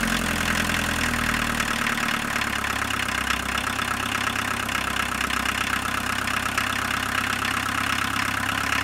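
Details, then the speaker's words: Abandoned 1985 Volkswagen 1.6L diesel, first start after purging injection and 15 s glow: catches and settles into an even clatter, hitting on all four right away with no misses, so the glow plugs likely all worked; healthy start and idle. "I was expecting more drama but this is nice it sounds like the engine's hitting on all four right away so chances are all the glow plugs worked"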